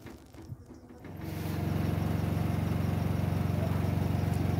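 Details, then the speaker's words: Semi-automatic washing machine spinning with a normal clothes load and the spin cap fitted: smooth, even low hum, no loud noise or knocking. Without the spin cap it gets loud, and the gearbox may also be at fault. "अभी washing machine चालू है अभी इसी तरीके का sound नहीं ए रहा ठीक है तो इसी तरीके से आप स्पिन कैप उसे करेंगे तो इसमें कोई भी साउंड नहीं आएगा और ना ही आपका गियर बॉक्स खराब होता है"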